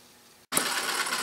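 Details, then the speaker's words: Retrol HM-01 7cc four-stroke horizontal hit-and-miss model engine, fueled with gasoline (lighter fluid also allowed), picks up abruptly into a fast, light, even mechanical clatter with no hesitation or misfire, chugging away cleanly; normal running. "well there it is chugging away way just a beautiful piece"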